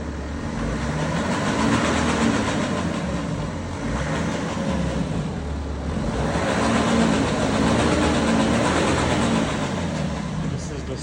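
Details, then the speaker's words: 2011 BMW 335d xDrive diesel running with a fast, uneven metallic rattle over normal clatter, steady with engine speed; mechanic says definitely timing chain, EGR valves already replaced, rocker cover and injectors to be removed for an estimate. "So, I'm going to I told them it's chain definitely, but I'm going to open rocker cover, take injector out, everything to give him um estimate how much going to cost him."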